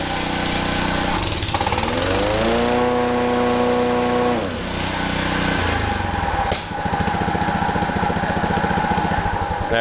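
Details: Honda 21in self-propelled walk-behind mower, previously high revving, with an aftermarket carburetor and a zip tie wedged on the governor arm, after governor adjustment; revs up, settles to a steady drone, dips and recovers as blades engage; runs normally.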